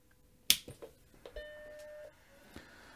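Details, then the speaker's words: Mac Classic II (came with garbled screen, logic board missing caps) powered on: click then one clean chime, hard drive spins up — normal startup chime; drive then seems to spin up and down repeatedly. "okay Chimes and the hard drive spins up we're getting something on the screen"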